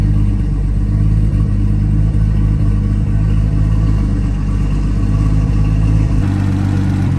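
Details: Nissan R32 RB20 straight-six, first start in 3 years, open downpipe with no exhaust: loud burble with even firing and a blip of revs near the end; engine sounds healthy, just loud; normal idle and revving.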